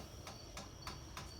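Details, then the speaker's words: 52-inch Hampton Bay Glendale ceiling fan running: sharp, regular click about three times a second over a soft hum; owner suspects warped blades throwing it off balance; clicking later went away. "speed but it's making that clicking noise and i'm trying to think of what else i have to say about this fan oh and the blaze on his fan are warped and stuff so that's what else is throwing this ceiling fan off balance"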